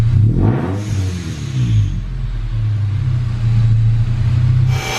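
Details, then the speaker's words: Manual Toyota Tacoma with a Rotrex supercharger kit, at idle with rev blips. The exhaust note is raspy and droning, with a whoosh from the supercharger bypass valve. It is too loud. "Just took it for a quick drive in the parking lot. It's too loud. Too loud, we don't like it."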